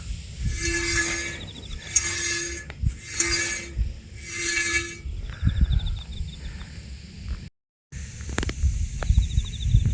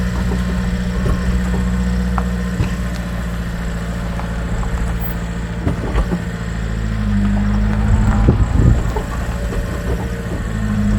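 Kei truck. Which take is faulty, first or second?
first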